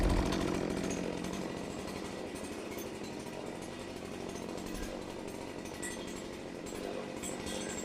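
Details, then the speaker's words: Old Stihl MS270 two-stroke chainsaw after tune-up, previously died: steady even buzz with no surging, misfire or rattle; running normally. "Sounds good. I think we're good."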